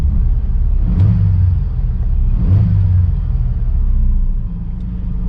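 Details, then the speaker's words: Thunderbird at salvage auction, jump-started, no check engine lights: deep, even idle with gentle rise and fall, no knocks or ticks — normal idle, sounds healthy. "we got it jumped and she runs really well really well"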